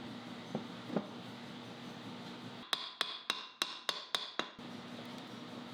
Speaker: Hmm, I don't remember it making that clicking noise before, that doesn't sound good at finger speed, so I doubt it will at 15,000 RPM either; clearly I must have missed something.